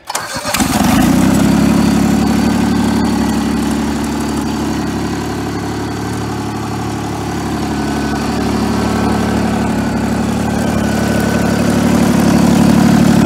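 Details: 1988 John Deere 322 mowing tractor, about 200 hours since frame swap, carb just cleaned of tank sediment: catches fast and runs even but loud, raspy and harsh; sounds like a blown-out muffler, suspected, not confirmed.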